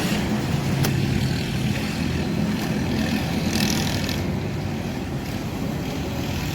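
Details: 2008 Mercedes-Benz C200 petrol engine running smooth and even with a steady low hum and no missing beats, after fixing a P0302 cylinder 2 misfire caused by water around the spark plug.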